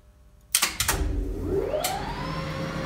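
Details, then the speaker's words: DAKA 1962 elevator (1986 modernisation), machine room: clunks at start, motor whine climbs, brake releases seconds late, worse going down; burned diode in brake coil rectifier bridge lowers coil voltage, brake releasing late. "Brake stays closed much longer than it suppose to, after motor starts. You can hear it much better when elevator starts to move in down direction."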